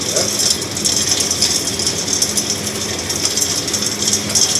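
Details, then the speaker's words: Axeman-Anderson 130 coal stoker heating a Mahoning 500 outdoor wood boiler, one week in, boiler at 160–170°F, 8–9 psi, solenoid clicking on: soft even rattle and hiss of feed and blower, no knocks or surging; running fine. "so yeah it's been running fine no problems heating the house with no trouble no complaints in that department"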